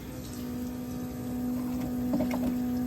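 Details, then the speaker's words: Mazda RX7 rotary during EFI conversion, fuel system rework with surge tank: both fuel pumps running, steady even loud electric whine at one pitch, no stutter or grinding; normal fuel pump operation. "Yeah, so this is what it sounds like with both pumps going. It's pretty frippin' noisy, but slowly getting there."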